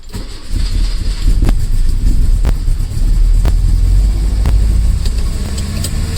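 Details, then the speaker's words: 1968 Lancia Fulvia first start after long storage, using a jump pack. Engine catches and holds a fast, raised idle that never settles; carburettors and valve timing not yet set. "idols very high brilliant we have a live fall the earth but a very high idol but it's alright is running which means we didn't mess it up so that's good"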